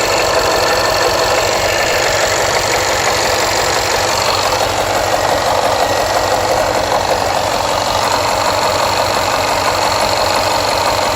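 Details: Jaguar XFR AJ133 5.0 V8 misfiring on the rear bank, cylinders 5-8. Codes P0300, P0306 (always first), P1315, P228F fuel pressure regulator too high, P00C6. Uneven, lumpy idle, irregular stumble, hissy rough exhaust beat. Engine misfire.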